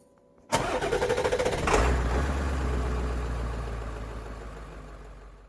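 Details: 2005 Chevrolet Tahoe after repairing crank-no-start (wiring harness rubbed through by driveshaft, blown PCM1 fuse): starter cranks briefly, engine catches quickly, settles into steady even idle with no misses or knocks.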